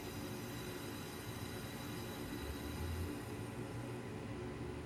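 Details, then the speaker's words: Lennox X13 blower motor after a retrofit, going through its startup cycle: faint, steady even hum with no rubbing, ticking or grinding. Normal blower startup. "all right right now it's going through startup it's going to run it's going to run forward and reverse actually right now i think it's running forward it's going to stop and then sugar on reverse"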